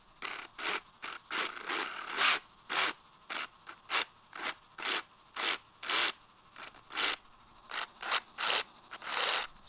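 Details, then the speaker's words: Traxxas Slash 2WD VXL RC truck motor, pinion removed, after cooling from overheating: short gritty uneven whirring on each spin-up, shaft not spinning smoothly because the front motor bearing fell apart; failed motor bearing. "you can see look at that see how it's not spinning smoothly the bearing fell apart at the front of the motor"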